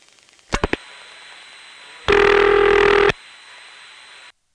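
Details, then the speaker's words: Senderized XY step exchange, Prince William County VA, 1970s, call to 594 Knoxville dialed normally: a few clicks, then a steady buzzing tone about a second while the register sender holds the line dialing; normal operation. "did hear the register sander dialing but we didn't hear the call progressing because the register sander was on the line the whole time"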